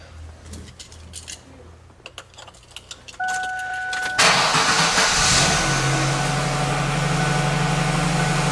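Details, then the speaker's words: 1999 Ford Taurus after in-tank fuel pump replacement, pump primed: a few clicks, a short crank, then it catches right away and settles into a steady, even idle; healthy start, no fuel leaks found. "Seems to be running. Let's see if there's any leaks. None that I can see."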